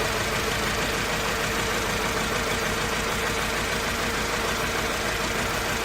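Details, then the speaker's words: Mercedes C200 four-cylinder, backfires and loses power pulling off, sounds like two or three cylinders; coil packs and all four plugs tested firing, owner suspects throttle body among others: uneven loping idle, about two stumbles a second; misfire. "it misfires it sounds if it's run only on to two cylinders and loss of power and a lot of backfiring"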